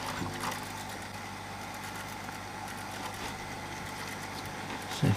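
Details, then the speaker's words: 1980s Sanyo MWS400F mini boombox tape deck: quiet whirr with uneven light ticking about three per second, wobbling belt, gears not meshing; idler gear slipping against the other white gear, not sitting in right position. "which goes across to another gear and it's actually slipping against the other white gear so something's not sitting right there"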